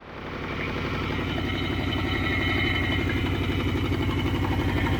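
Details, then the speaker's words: 1979 Trans Am 403 V8 first run in over 5 years: rough, lumpy idle with a cylinder dropping out and clattering; owner suspects lifters and rod knock despite good oil pressure. "well it's running but it's running like crap uh I think it's uh bunch of clattering from lifters and I think the rod too I think I might shut it off it sounds horrible"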